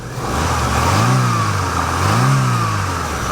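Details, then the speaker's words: Used Chevrolet Aveo small four-cylinder: two clean throttle blips rise and fall smoothly back to an even idle with no knock, rattle or miss; normal revving, healthy engine. "a good running little engine by Chevrolet folks okay so that's great"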